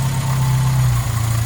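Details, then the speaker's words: Hillman Super Minx 2.1 carburettor after rebuild, idle mixture screw turned in toward rich: low steady idle sags and goes uneven, bogging as the mixture becomes too rich. "right so you hear the change in the engine there it's now bogging a little so that's too much fuel"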